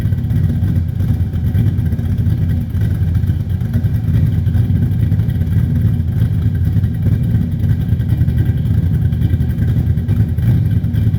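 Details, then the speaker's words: Cold start of a Mercedes W124 with a 5.0 L M113 V8 on a Weiand 351 Cleveland intake, Demon 650, big Catcams camshafts, COMP springs, stock bottom end, Flowmaster exhaust: deep lumpy loping steady idle, healthy on aggressive cams. "Now this is cold start, so these cams are significantly more aggressive than the old ones, but we will go ahead and fire it up and let you hear it, and I'll let you see the engine."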